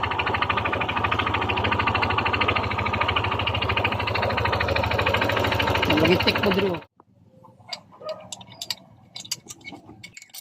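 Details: Yamaha NMAX 155 at idle: an even, hard tick-knock of about two or three a second over the engine, then it shuts off; teardown confirmed a failed connecting rod: connecting rod knock.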